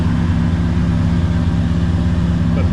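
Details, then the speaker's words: TVR Cerbera V8 now running on a Haltech Nexus R3 ECU with ignition idle control, air-fuel ratio 13.3 on both banks; deep, even burble at idle, steady rhythm, no hunting, misfire or stumble; idling cleanly. "Right, I don't know if you can hear but I think I've had a win. She's uh Yeah, this is kind of where I wanted to be. Uh she's idling perfectly."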